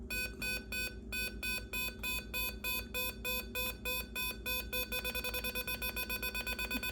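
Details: MFJ Pacesetter electronic keyer running with the 8044 chip taken from an HK5A clone keyer: clean evenly spaced tone beeps then a faster steady run of dits; chip confirmed good, keyer sending properly.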